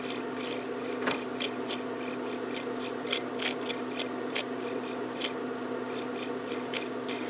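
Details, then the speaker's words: Old motor from a 1999 Mercedes S-class door lock PSE pump, spun by hand in front of the microphone, makes scratchy rasping bursts. A broken brush holder piece is scraping the armature and the motor is shot. "I don't know if you heard that scratching noise, but that's the piece of brush holder scratching against the armature, so that's total garbage."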